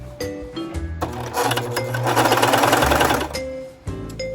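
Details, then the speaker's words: Brand-new Singer ProFinish serger chaining with no fabric at full speed: fast, harsh clattering chatter, far louder and rougher than expected, "feels like it's going to eat itself"; cause unclear; excessively loud running noise. "Oh, it doesn't sound good. That is a very loud serger."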